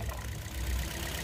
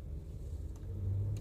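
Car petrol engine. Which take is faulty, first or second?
first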